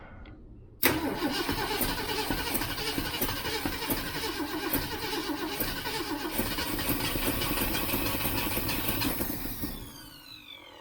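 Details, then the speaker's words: 1967 Ford Mustang 390 V8 just reassembled, idle turned up: catches and runs a little lumpy with sharp rapid ticking puffs over the exhaust note; owner says he created a big exhaust leak back there, float bowl possibly overfilled. "Yeah, I definitely have created a big ass exhaust leak back there."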